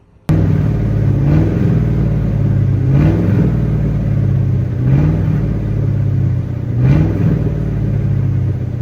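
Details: V8 car before long-tube headers were fitted, still running kind of messed up: deep rumble that lopes unevenly, with a short rising surge about every two seconds; rough running, cause not pinned down.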